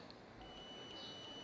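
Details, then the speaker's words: Multimeter continuity test on a relay from a Microsol NG2 voltage stabilizer (110–220 V in, 110 V out) with oscillating output; steady high beep across common and normally-closed terminals shows the closed contact conducting, relay good. "Perceberam? Tá bipando. Que é o contato fechado."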